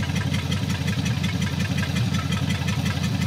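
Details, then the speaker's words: 1954 Meteor flathead Ford, running after sitting 55 years, stuck valves loosening, blue smoke: loud, raspy idle with sharp, even exhaust puffs chuffing out close by; big hole in the exhaust. "sure there's a big hole in the exhaust"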